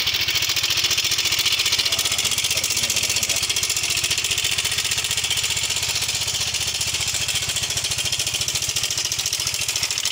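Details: Yamaha Mio M3 125 scooter with a rough-sounding engine, oil level confirmed fine. It idles with a fast, rough metallic ticking rattle over the steady beat, from a weak cam chain tensioner.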